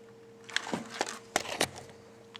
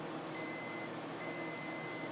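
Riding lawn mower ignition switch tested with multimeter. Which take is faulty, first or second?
first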